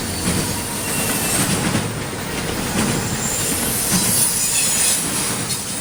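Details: CSX intermodal freight train passing in Georgia: continuous piercing high screech over the rumble and clatter of the cars; wheels squealing on the rail, cause unknown.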